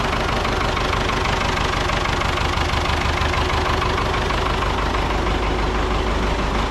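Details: Ford 6600 diesel tractor, sitting about 8 years, just started after starting-fluid spray bursts while cranking; low on antifreeze so run briefly, some smoke. Diesel clatters at steady idle with even, rough knock and no misses: normal idle.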